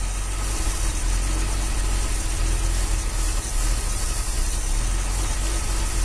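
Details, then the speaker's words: 1966 Dodge A100 van, 225 CI Slant Six, cold after long sitting, running with jumper wire bypassing factory wiring to coil: steady low rumble at even idle, no misses; carburetor accelerator pump not squirting; normal idle. "okay cool just connector jumper that's running pretty good"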